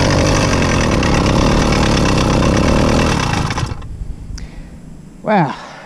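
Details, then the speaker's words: Rebuilt Zeda Triple 40 motorized bike engine, first start after rebuild and Woodruff key refit in clutch: harsh raspy running with grinding undertone, louder than before rebuild; clutch assembly suspected, not confirmed. "so the terrible grinding sound you were hearing once the motor started was the exact reason we rebuilt this motor in the first place but it's louder now than it was before we did the rebuild which leads me to believe that it's the clutch assembly"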